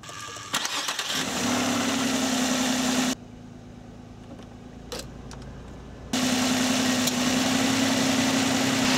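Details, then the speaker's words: Late-model vehicle with two-speed cooling fans, engine idling, A/C switched on: fans kick on right away at low speed with a steady, even whirr over the idle, no rattle or wobble; normal low-speed operation. "once we turn on the air conditioner these fans kicked on right away"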